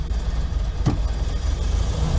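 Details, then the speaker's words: Old campervan after sitting all winter, tuned up last year: low fast steady rumble that stays high at idle in neutral and park, nearly dies in drive or reverse; high idle, cause not found. "Neutral, high idle. Needless to say, it definitely needs some help. I can't drive it like this."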